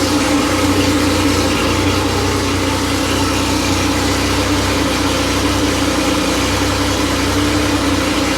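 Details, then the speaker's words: Freshly rebuilt Porsche 911 air-cooled 3.0SC flat-six built to 3.2 spec, run on test stand after sitting cold overnight (26°): fast, smooth, even high idle, no misses; starts well, runs slightly rich warming, later settles near 950 rpm. Healthy. "So, I don't know how long that was running, but but as you can see, it starts cold. It starts well. uh maintains a high idle, runs, you know, a little bit rich through the warm-up phase,"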